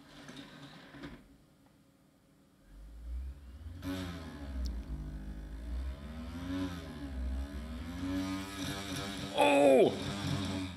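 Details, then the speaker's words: Dusty scrapyard HP CD drive reading a CD: a wobbling whir swells into a loud rattling shake as the whole drive vibrates violently. Something is wrong with the drive. "stop stop stop something is not right okay I guess the CD is okay but I don't think I want to use this drive for any of my original CDs or any CDs for that matter"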